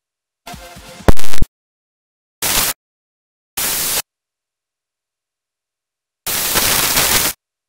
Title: Premiere Pro 2015.0.2 audio BUGS: Weird playback, and LOUD STATIC SCREECHING